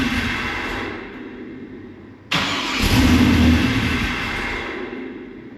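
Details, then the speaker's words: WS6 Trans Am sat five years, new Magnaflow catback, new tune loaded: cranks briefly, catches and runs rough with heavy intake-air rush, dies after about 8–9 seconds, then only about 2 seconds; cause unclear; stalls shortly after starting. "Like when it sets for a while, it starts and runs for like 8-9 seconds, and then it dies. And then it's like 2 seconds at a time after that."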